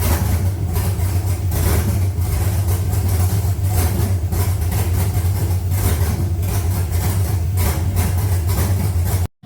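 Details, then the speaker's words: 3rd-gen Camaro with 5.3 V8 swap, speed-density tune in progress, no coolant so brief run: steady even V8 idle with deep smooth rumble holding speed unaided; idles by itself now, sounds really good. "it starts idles by itself now it ain't got no water in it so we can't really run it too long yeah it sounds good sounds really good"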